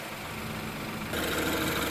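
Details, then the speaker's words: 2016 BMW X3 turbo direct-injection engine just after an engine flush and oil change to AMSOIL 0W-20 synthetic, idling: even idle with fine fast injector ticking and little engine noise; normal direct-injection tick, runs very well. "That direct injection is ticking away. It's good. Very good motor now. Yeah. Or it's like less noise, more injector Yeah. noise. Yeah, there's like no motor noise."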